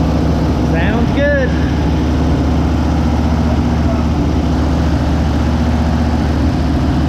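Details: 1956 Ford Fairlane V8 garage find, first start in 35 years after a carburetor rebuild: a deep, steady idle holding an even beat with no misses or knocks, running smoothly.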